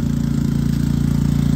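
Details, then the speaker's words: Predator 3500 generator in non-eco mode starting a 2-ton central AC through a 5000 W transformer and soft start: deep, steady pulsing drone at high revs with no hunting; carries the load fine, possible brief overload at switch-on. "anybody who was wondering what that noise is it's definitely working out"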